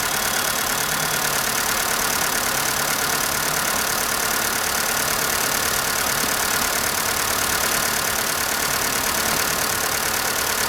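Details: Skoda Fabia cold morning idle: fast, fairly even light ticking about three per second, suspected hydraulic lifters; noise unchanged after all lifters replaced at dealer; ticking valve train noise at cold idle.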